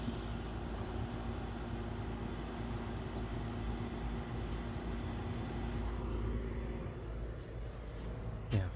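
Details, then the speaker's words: Central AC outdoor unit running during a weeks-long heat wave that reached the high 90s the week before; owner says it sounds pretty good and more level than last year. Steady low hum, smooth fan whoosh, no knocks; normal running. "The central sounds pretty good. It's more leveled than it was last year."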